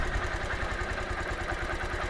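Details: Honda Titan 150 single-cylinder motorcycle after clutch bearing work, then piston, valves and a new Metal Leve cylinder sleeve: steady low idle thump with a faint metallic clatter from the engine, cause not pinned down.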